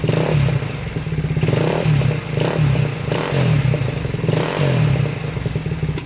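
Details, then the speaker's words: 2000 Honda 400EX single-cylinder quad idling after new battery; it locked up in fifth gear on first ride and now starts then shuts off. Heavy clattery knock with surging beat; owner suspects overheating piston seizure. "i'm thinking it's getting hot and seizing up that piston"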